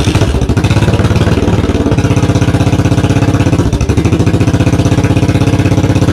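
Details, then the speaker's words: 1982 Yamaha XV920 cafe conversion, first start after rebuild: very loud thumping twin idle with uneven lumpy beat, backfiring; oil coming out of exhaust, carbs need tuning. "she's bloody loud crying out loud i couldn't believe how loud she"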